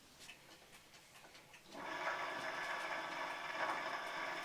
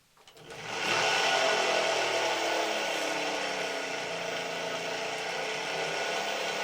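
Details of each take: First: 2018 Puch Dance e-bike, Bafang G32 hub motor, pedalling on the pedal-assist sensor: a few ticks, then a buzzy whirring hum holds steady while the motor responds but the wheel won't turn. Cause: broken internal nylon planetary gears. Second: Puch Dance e-bike (2018), Bafang BF FM G32.250.R-C hub motor after replacing broken nylon planetary gears, wheel spinning unloaded: steady even whirr with a light rattle that only appears unloaded, not when cycling; motor now healthy, normal running.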